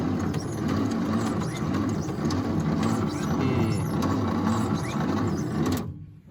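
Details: Long-parked 1953 International L160 truck (previously no spark), cranked with the choke on and starter fluid sprayed in: steady, slow, labored cranking that never fires. Cause not confirmed.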